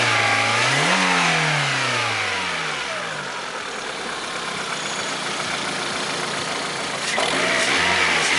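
Engine revs rise and fall with a steady rattling tap riding over it that quickens with speed; knock present, cause uncertain. Cause suspected, not confirmed.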